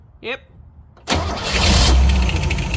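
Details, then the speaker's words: 1964 Chevrolet Suburban small-block Chevy, newly installed ignition, fuel tank not yet connected: starter cranks the engine steadily with no firing, checking for spark; cranking, no start because there is no fuel. "oh there's no gas in it of course it won't start you Nanny didn't finish the fuel tank yeah well it's okay just see if it Sparks while I crank it over there"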